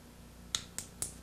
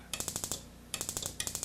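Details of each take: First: RV water heater ignition control board, one-second delay single-try with retry, on bench tester with high-voltage wire connected; four crisp evenly spaced snaps about four a second over quiet hum; igniter sparking normally. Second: Dual-therm 3155 RV furnace ignition board on bench tester: sharp spark ticks about a dozen per second cutting out and restarting when the board is flexed; intermittent ignition from a cracked transistor solder joint, faulty board.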